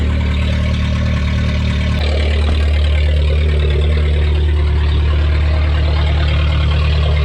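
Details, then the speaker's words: Junkyard VW Golf 3 (Mk3) with no exhaust fitted, just started after sitting, not yet up to temperature; very loud raw rumbling idle with hard low pulses about three per second; later sounded odd and died. "three two one i don't know if camera does it justice but i'm literally screaming this car is so loud"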